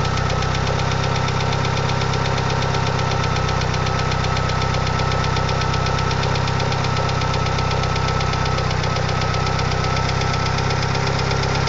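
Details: 2G DSM engine at steady idle with a light, even tick about four per second from worn hydraulic lifters; fixed by installing upgraded 3G lifters.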